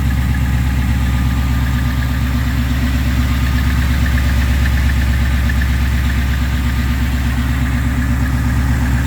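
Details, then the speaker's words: Gen 3 Ford Coyote V8 swapped into an F-150, after replacing the high pressure fuel pump with a Napa unit and priming: steady, even low rumble at idle with no ticking or misses; idling smoothly. "And let me try to crank it and see if it's gonna start. Obviously, I gotta prime the system a few times, and hopefully she runs."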